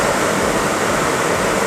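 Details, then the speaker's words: 1994 Renault Espace 2 heater blower motor, tested after replacing the thermal fuse in the heater resistor and run through speeds two to four: a strong, even rush of air with no rattles or scrapes; normal blower operation. "nous replaçons le moto ventilateur ça fait du bruit nous allons faire un test avant de remonter voir si toutes les vies text fonctionne du moto ventilateur vas-y pour mieux la vitesse voilà deuxième troisième 4e"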